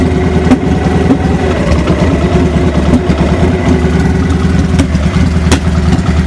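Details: 2000 Victory V92SC V-twin at idle: lumpy, uneven beat with irregular pulses and a few sharp pops; rough idle with popping, cause not yet determined.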